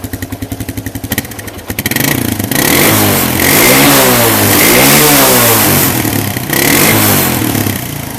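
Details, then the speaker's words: Carbureted Suzuki quad (ATV), with the choke on; previously it would bog out and die on revving: a quick even idle pulse, then the revs climb and fall smoothly without bogging or dying. "now before you couldn't rev this thing at all it would just go up a little bit and then just bog right out and completely die so let's see how much RPM range we have now"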